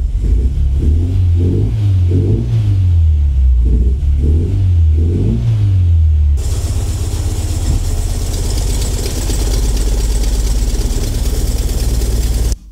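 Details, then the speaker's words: Renault Twingo 1 phase 2 bought broken, reported turbo problem; after refitting everything, revs come in lumpy uneven surges then settle to a shaky unsteady idle; still runs badly, rough running, cause not yet pinned down. "Elle démarre toujours pas. Enfin, elle tourne toujours mal."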